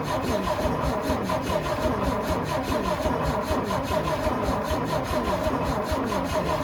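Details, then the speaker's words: Antique International winch truck left sitting in the woods, gas gravity-fed to the mechanical fuel pump: steady rhythmic cranking that never catches; no spark at the plugs, with power reaching the ignition coil but not passing on. "right, guys, so as you can see there, not getting any spark to the spark plugs."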